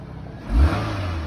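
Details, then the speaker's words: 2019 Nissan Rogue, about 46,000 miles, starts without jump; short smooth rev settling back to even idle, no knocks or rattles, sounds pretty good: normal engine rev. "little Rev yeah that sounds pretty good"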